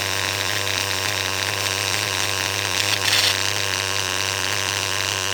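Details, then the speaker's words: Intermittent random scrabbling rattle inside an R5 nitro engine running steady at high buzz; clutch setup already checked, owner suspects a bearing going out, cause unconfirmed, engine to be pulled. "so it's not about the tune you guys right now it's about the Chipmunk running around in my uh R5 I don't know if you could hear that just kind of that random noise maybe a bearing's going out"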